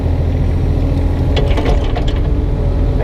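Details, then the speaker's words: 2006 Kubota KX 101-3 mini excavator at diesel idle: a burst of sharp clatters when the arm jerks without care, from worn pins and bushings with too much play; the owner only avoids it by working gently. "Es klappert immer noch, aber ich passe einfach auf, dass ich nicht dagegen schlage."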